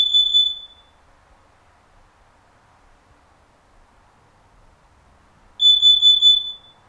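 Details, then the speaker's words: Activated smoke alarm warning: shrill high-pitched beeps in groups of three consecutive beeps, a pause, then three more, repeating; the smoke alarm's three-beep pattern, distinct from the carbon monoxide alarm's four faster beeps. "it is important to remember that these combination alarms the number of beeps still remain the same there will be three beeps for an activated smoke and four faster beeps"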